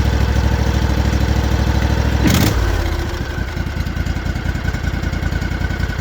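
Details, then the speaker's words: Kawasaki FR730V V-twin on Cub Cadet mower after 50-hour service with fresh full-synthetic oil, cranked to build oil pressure before starting: steady low, even V-twin beat settling to smooth idle, no knocking or misses; healthy. "Let them crank, build oil pressure before it goes right up to, you know, high speed. That sounds sweet."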